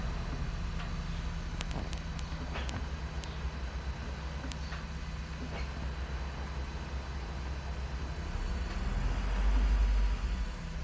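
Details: Infiniti G35, warmed up: deep idle rumble with a faint, steady whine on top. The whine does not change with clutch in or out and remains with both accessory belts removed.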